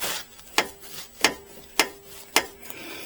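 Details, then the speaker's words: Micro van driveshaft, yoke rocked by hand: four sharp metallic clicks about a second apart, free play between universal joint cups; owner suspects loose U-joint causing driving noise, not confirmed. "have to pull this drive shaft out what the hell is making that noise i think it might be that loose universal joint believe it or not"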